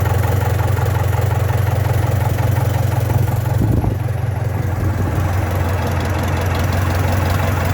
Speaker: so we know that she's firing at all four little engines running on all four